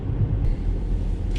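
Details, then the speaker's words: 2009 Mazda 5 minivan driving: steady road rumble with dull thuds, a worsening clunk from the front suspension; lower control arm bushings suspected, before control arm and ball joint replacement. "now there's a clunking noise coming from the front suspension of this vehicle I'm thinking you can hear that"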